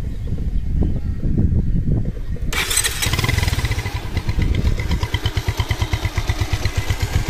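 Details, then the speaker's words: Bajaj Pulsar after full engine setting and master servicing with tappets repaired: engine fires up cleanly and settles into a steady, even idle beat with no knocking or rattles; sounds very good, healthy. "তো গাড়ি কিন্তু sound খুব সুন্দর আছে।"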